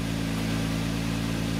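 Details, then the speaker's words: 2004 Infiniti FX35 with hesitation, check engine light and P0507 idle-too-high code: smooth steady hum with no dips around 1500 RPM versus the expected 800–900, before attempting an electronic throttle idle relearn. Idle too high. "oh my God 15 look at the idol it's too high"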